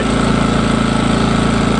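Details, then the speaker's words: New Engel 2500W inverter generator, being run in under light load: steady, even beat, no hunting or misfire; healthy. Recorded with directional shotgun mic that makes it sound louder than in person. "I checked the video footage yesterday on this this generator come up and S sounded really loud it doesn't sound as loud in real life as it does on the camera guys"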